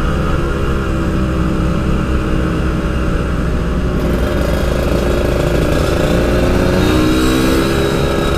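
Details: Yamaha RX King two-stroke, riding after fixing high-rpm stutter, recorded through a half-face helmet with heavy wind noise: revs hard and evenly, no stutter or break-up; normal high-rpm running.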